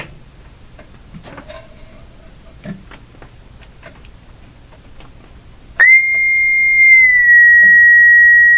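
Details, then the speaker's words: Roughly 100-year-old speaker tested, microphone inches away: clean steady whistle near two kilohertz without buzz or rattle, old-radio tone. Normal speaker tone reproduction. "Wow. Sounds pretty good, actually."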